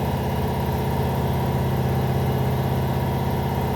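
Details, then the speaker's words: Air compressor heard in the background of a shop: steady low chugging, about three beats per second, with an uneven lumpy pulse; abnormal compressor noise, cause unclear. "Some weird sounds coming out of that compressor."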